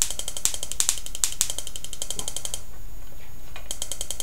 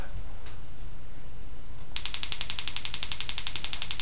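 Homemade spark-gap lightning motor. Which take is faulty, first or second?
first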